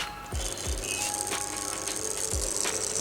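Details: Stand or table fan, not a gearbox fault: low knocking thuds about three a second over the fan's airy hiss, from the rotor shaft sliding back and forth with excessive end play.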